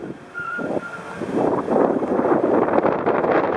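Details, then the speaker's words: Tires squeal and scrub during a slow parking-lot turn at a few mph with the wheel only about half turned, indicating faulty alignment, steering geometry and steering linkage. "another indication that there's something wrong with the alignment and the steering geometry of this vehicle is that even on very light low speed turns the wheels squeal as if they're fighting against each other"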